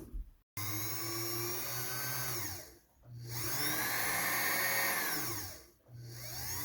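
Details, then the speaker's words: 1977 Kenmore 158.19412 sewing machine after oiling: motor hum with steady hissing scrape rising and falling with speed; drive belt set too far right, rubbing the plastic side cover; fix is loosening the set screw to realign. "I think that says yes. It's really hard to see it, but that noise is this belt rubbing on the plastic side cover."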